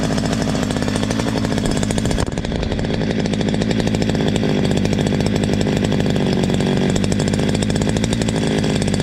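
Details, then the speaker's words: Stihl MS 230 chainsaw, owner complained of terrible noise, after tightening slightly loose exhaust; steady even high-revving buzz, no rattle or knock; clutch drum washer play noted as normal: normal running. "a máquina toda perfeita realmente aqui o único ruído que eu encontrei aqui foi essa Ruela do tambor do peão essa folga É normal"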